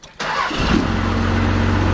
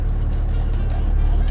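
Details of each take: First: 12-valve Cummins diesel truck, idle screw set to just under 1000 rpm: fires within a second on start-up, then settles into a steady, even idle with no stumble; healthy cold start and idle. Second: 12-valve Cummins diesel pickup idling too low, about 650 rpm, dropping to about 500 when shifted into drive. Slow, heavy, lumpy clatter; the owner finds it too low and plans to raise the idle.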